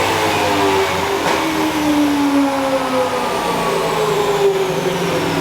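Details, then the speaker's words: 2004 Mustang Cobra Terminator, ported 2020 GT500 supercharger, dyno pull at full throttle: a strong, smooth pull with supercharger whine sweeping with the revs and no misfire. Fueling improved; about 781 hp, 684 torque, about 16 psi boost with a spike up top. "Okay, fueling was much better that time. Let's close out a lot of these graphs. We got a crisp 781. .684 torque, and seeing about 16 pounds of boost with a little bit of spike up top."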